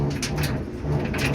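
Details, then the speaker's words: Samsung dryer DV45H7000EWA2 running: a low, uneven, weird rumble, pointing to the idler pulley and drum rollers, fixed by replacing the idler pulley and drum rollers. "so here's the Samsung dryer got it on and you can hear that's making this weird rumbling noise"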